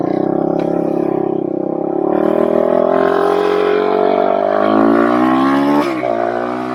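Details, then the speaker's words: 2007 Suzuki Quadracer LTR450 after removing the fuel filter: single-cylinder engine pulls cleanly, tone climbing smoothly as revs build under throttle; now takes throttle as it should. "I did want to be able to just get this thing moving, taking throttle as it should."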